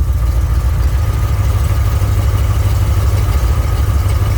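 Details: 1967 Mercury Cougar at idle after repair of the power steering hydraulic ram assist, wheel turned side to side: steady idle with faint, even pump hum and no groan or squeal; steering sounds healthy, though a hose touches a bracket.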